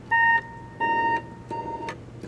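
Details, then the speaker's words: 1972 Kimball console home organ with Leslie speaker: successive keys sound at the same pitch with no pitch change, plus more noise lower down. Points to a failed oscillator divider IC. "uh a whole bunch of these are not working okay this is an oscillator divider problem because you can hear there's no pitch change"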